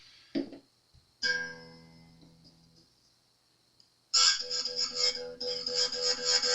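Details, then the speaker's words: Epiphone Les Paul fret leveling: plucked string gives a bright buzzy rattle on top of the note against a 23-thousandths feeler gauge, showing the fret is now low enough. "I'm going to stop right there. It's just starting to buzz and rattle on the 23 thousandths."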